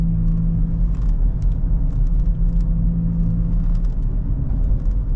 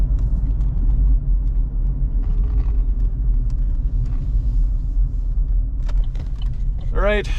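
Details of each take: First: 2014 GMC Terrain driving at about 40 mph: a low, steady growl under the road noise, louder when turning loads one side and groaning worse when slowing down. Bad wheel bearing suspected, side not yet determined. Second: 2014 GMC Terrain test drive after replacing wheel bearing (previously noisy at certain speeds): steady low road rumble at cruising speed with no growl or speed-related hum; nice and quiet, normal wheel bearing.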